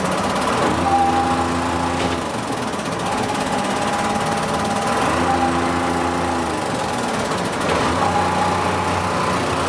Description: First Manchester Dennis Dart SLF, with lots of ticking noises! The bus was losing air, and as a result of this, a warning alarm came on and the driver had to keep revving the bus up lol!